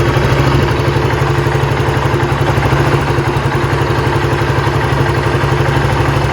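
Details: Honda CBR150R single-cylinder with manual ISC replacing the automatic one, idle screwed down from about 1500-1700 rpm toward 1200-1400 rpm; even, steady putter with regular pulses, no misses or clatter: normal idle.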